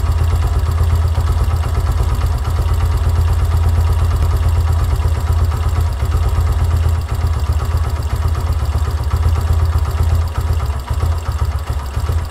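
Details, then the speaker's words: Yamaha YBR125 single-cylinder, warmed up, idle mixture screw at 1.5 turns during carburetor adjustment: low, uneven idle, engine barely running and sagging as if about to stall; lean idle from mixture screw too far in. "we can hear that the engine is barely running at 1.5 turn. we are going to note that position."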